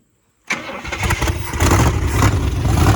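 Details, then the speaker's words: 1966 Buick Sport Wagon V8 after engine and electrical repairs cranks briefly, catches cleanly and settles into a smooth, even idle; the miss heard the week before seems gone. Normal start and idle. "that sounds so much better it sounds 100 times better than last week wow wow I'm not even sure I heard him miss anymore"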